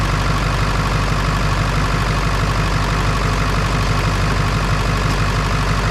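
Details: Ford 7.3 Power Stroke diesel that was cranking slowly with one battery seemingly carrying the load: deep, even diesel rumble at steady idle with no misses or knocks, normal idle.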